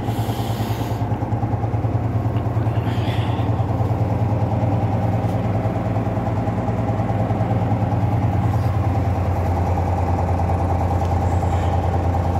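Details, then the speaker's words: Volvo VNL 780 truck diesel idling just after starting, after 670 km driven: regular tapping beat about three times a second over the engine; knock in the engine that appeared suddenly minutes earlier while driving, cause unknown. "появился стук какой-то вот буквально 5 минут назад ехал ни с того ни сего раз и все это что Застучал"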